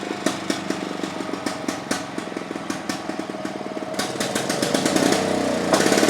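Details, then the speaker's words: Victa Pro 550 Mulcher two-stroke mower from Marketplace, over-revving; later traced to the cap on the back of the carburettor and a governor vacuum leak: crisp rap climbs and hangs at high revs instead of settling back. "So folks, I adjusted the throttle lever up here. However, that really didn't solve the problem with the mower over revving."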